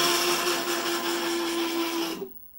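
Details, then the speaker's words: WorkBee 1050 CNC Y-axis moving in one direction, only in one section of travel: harsh, raspy grinding over a steady motor tone that stops with the motion; cured by oiling the lead screws with 3-in-1 oil. "this is the problem I'm having with my work be 10:50 which is that when you when I scroll the y-axis this direction it makes horrible noise"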